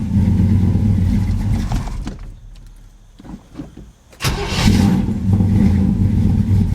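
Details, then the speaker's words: V8 on a cold start, choke apparently not working: it settles into a lumpy, burbling idle with an uneven beat that clears once warm but still isn't quite right. Cause suspected, not confirmed. Rough cold idle. "here hear that little burble here no choke apparently yeah she there it clears out once it warms up but it's still got a ain't quite right"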